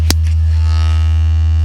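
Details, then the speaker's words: 2021 Toyota Avalon with upgraded JBL system, playing an 80 Hz test tone: deep steady tone with a harsh raspy buzz that comes and goes, a mid-bass door panel rattle despite earlier sound deadening by another shop. "hear that but there's a really bad I don't know if you heard it kind of go away it's back kind of goes away so basically what it tells me it's a mid-base issue cuz right now I'm playing around 80 HZ"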